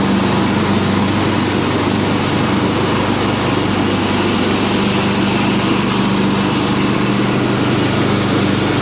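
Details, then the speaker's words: Craftsman LT1000 lawn tractor running with the mower deck engaged after the spindles were unseized and greased, blades sharpened and the deck installed; loud steady drone with constant blade whir, no belt squeal; normal running. "I guess I'm going to start it up and see if I can ruin some mower deck belts. Okay, here we go, moment of truth."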